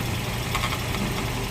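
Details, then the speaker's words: 2017 Toyota Vios dual VVT-i idling with a steady low rumble and a faint buzzy rattle from the transmission; the transmission oil pan is deformed, despite alternator bearing, water pump and tensioner already replaced. "Yan oh. Umiingay. B mga higop. So maga gawin natin. Update kayo maya-maya ano yung problema dito sa bakit umiingay."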